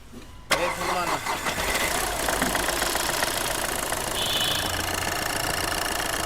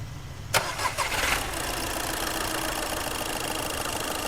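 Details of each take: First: Skoda Fabia diesel, cold after standing two to three days, low oil level, smoke, no pickup, coil light blinking and check engine light on: starts and settles into uneven, lumpy clatter with irregular stumbles; failing injectors causing misfire. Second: Skoda Fabia brought in for smoke, no pickup and a check-engine light: brief crank, it fires at once and settles into a steady, even idle with no misses or knocks, starting and running fine.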